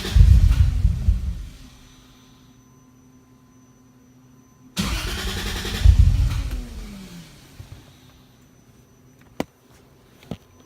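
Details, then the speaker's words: 3.0-litre six-cylinder engine on an AEM Infinity 506 ECU, first start after firmware update with no calibration: catches and flares, then sags and fades out twice without settling; unstable idle because idle motor isn't set up and injector data is wrong. "Idle motor's not set up, and it's the wrong injectors"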